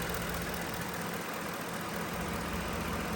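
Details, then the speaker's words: 2010 Ford F-150 started after repairing a damaged wire to the MAP sensor and clearing codes: steady, even idle with a smooth low hum, no misfire or shaking. "So, let's start this truck. Oh my god, guys. It sounds like a champ. No more misfiring."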